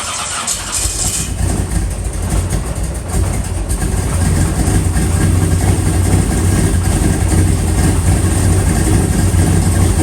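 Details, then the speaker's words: 1981 Camaro race car after rewiring, cold day, Accusump engaged: long, labouring crank finally catches and builds to a rough, loud idle; owner puts the slow start down to the cold, unconfirmed. "I guess it's just cold and slow so let's see what happens"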